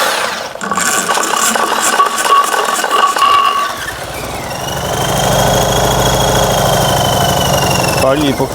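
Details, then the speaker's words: Fiat 126p engine running on 92% denatured alcohol instead of petrol, cold: catches and runs unevenly for a few seconds, revs wandering, then falters and dies. "Próbujemy pali i nie pali zobaczymy jeszcze raz ale coś gaśnie jeszcze raz dziwne"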